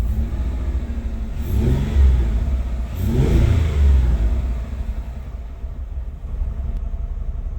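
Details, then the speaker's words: 2009 Ford Escape: two quick throttle blips over an uneven idle, revs stumbling and rough; the miss is still present, and the coil pack is suspected, not confirmed. "nope no bleno as they say yeah so that coal Pack's going to be the culprit right there"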